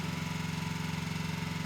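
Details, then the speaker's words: 1972 Triumph TR6 motorcycle, warm: even steady idle with regular beat, no knocks or misses; normal warm idle, earlier cold roughness put down to slow warm-up. "Okay Kevin says that by the time you got to the end of the block and around the corner the bike smoothed out beautifully and went just great on the rest of the test drive"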